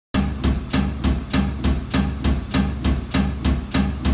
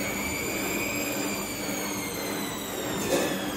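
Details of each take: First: Bosch washing machine during spin, dampers replaced: heavy regular thudding almost two bangs a second as the drum slams around — suspected drum knocking from worn shock absorbers/dampers, not confirmed. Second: Bosch washing machine after damper replacement: steady whirring spin with a smooth motor whine slowly dropping in pitch and only a couple of light bumps; sounds like a normal spin.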